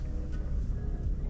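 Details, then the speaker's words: BMW M135i bought from a used car dealer: dense, uneven rattle over low idle rumble, changes when put in gear and off; source not found, not affecting driving. "one of them there is a horrible rattle there turn it off again what is that for that noise to be there now"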